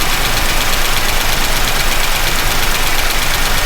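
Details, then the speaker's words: Chevy pushrod engine idling with valve covers off: light repetitive ticking even with engine speed; valve lifter noise from very little oil reaching the rockers, not a loose valve. "that's just valve LIF noise that's not a loose valve per se you see there's very little oil coming up to these they should be spraying onto the"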